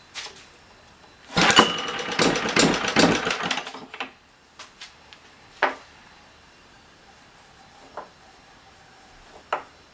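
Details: Old, worn Clinton B704 single-cylinder engine, before the carb clean, with fuel sprayed into the carburetor: catches and sputters about three seconds, then dies with a few lone pops; not getting fuel through the carburetor.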